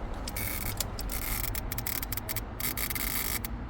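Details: 2007 Honda Civic with key ignition, no start: start cut relay under the dash makes rapid uneven clicking and buzzing with key turned, no cranking, fuel pump relay removed; cause is a faulty ignition switch, not the relay.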